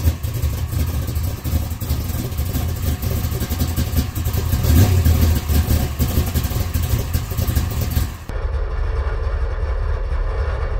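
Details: 1962 Nova V8 after installing chambered mufflers welded onto reused custom-bent mid pipe: deep, even big-block rumble, steady and strong with no ticks, leaks or rattles; normal healthy exhaust note.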